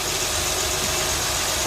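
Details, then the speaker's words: 2008 Honda Accord after replacing power steering O-rings to cure a cold-start groan (air entering the system); steady even idle under hiss, no groan, whine or knock, no leaks seen; normal idle. "Shouldn't make any sound. It's not gonna sound any different than it did."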